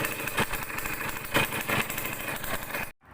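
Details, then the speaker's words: Restored Yamaha DT100 two-stroke, started with choke on: uneven idle with sharp chuffing puffs over the beat; exhaust header joint leaking from a loose nut, later tightened and the leak was gone. "เสียงเหมือนคอท่อตรงเนี้ยรั่วเลยนะครับเสียงเนี่ยคอท่อรั่วนะครับ"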